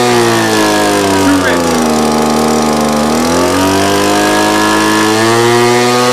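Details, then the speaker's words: Two-stroke blower carburetor being tuned by ear, with revs breaking up and sagging when too rich, struggling for power when screwed in, then climbing back up and smoothing out as the screw comes back out. Rich/lean mixture misadjustment. "see here I was breaking up when I got too rich and when I brought it back in it was kind of struggling it couldn't get up to power I start bringing it out again then you hear the RPM start to go back up again"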